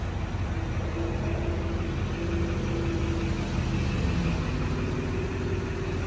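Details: 2006 Chevrolet Silverado LT 2500HD 4x4, LBZ 6.6 Duramax diesel, Allison six-speed, 91,301 miles, started and idling: steady, even diesel rumble and smooth low clatter with no knocks or misses; healthy idle.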